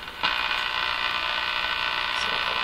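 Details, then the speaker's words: Crosley 43FB farm radio during shortwave band alignment: a steady hissing buzz cuts in suddenly and holds constant. It persists after a capacitor is removed and does not occur on AM; an external antenna is being tried, and the owner suspects the antenna. "now the buzzing is back. But I think this is from the antenna. Hard to say, for sure."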